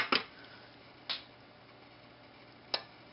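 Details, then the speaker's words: Relay on an electronics learning board, driven to power an AC lamp for a fixed duration; three sharp, isolated clicks in a quiet room, a second or more apart, the relay switching cleanly, including turning off. "that was a relay turning off"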